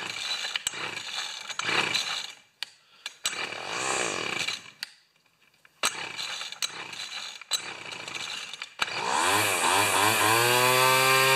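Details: Cheap two-stroke weed trimmer after carb mixture screw adjustment and tightening primer bulb screws; carb spray no longer changes running: after stops and clicks settles into fast high-pitched buzz that won't drop; idling too high.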